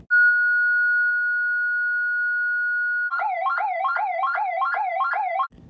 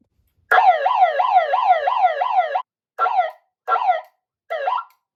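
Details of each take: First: Ademco 702 electronic siren on low power (9 V battery): a thin steady tone, then a flat, weak, wobbly warble. Underpowered siren, not broken; it sounds much better at full power. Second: Ademco 702 electronic siren at full power: strong warbling sweep about twice a second, then short even bursts; clean, working properly (sounded weak on a 9 V battery at lower power).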